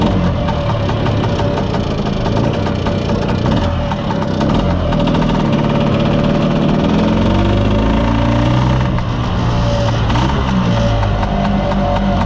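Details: Mostly original Spanish Lambretta Jet 200 two-stroke scooter on test drive: revs climb slowly and sag back with a flat, boggy note, won't rev, splutter in the mid range; main jet too big, carburation running rich.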